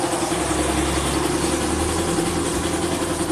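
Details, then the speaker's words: Honda Vario 125 LED fuel-injected scooter after throttle position sensor fix: steady, even idle with a smooth low putter and no knocks, misses or surging. Normal idle, scooter back to normal. "Akhirnya sekarang sepeda motor sudah kembali normal"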